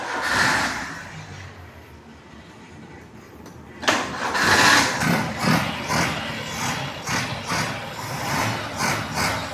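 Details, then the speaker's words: Daihatsu Ceria 800 cc petrol, single-barrel carburettor: engine catches and is blipped in quick uneven revs with a rough, burbly note; runs rich, black exhaust smoke and heavy fuel use, idle air-mixture adjustment overly sensitive. "Jadi cirinya kelebihan bensin, setelan udaranya ini terlalu sensitif."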